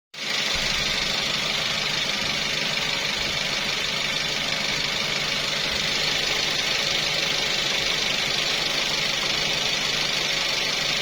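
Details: Toyota 3SZ-VE engine at idle: steady idle with fast, light ticking on top, about three a second; cause can't be pinned down by ear.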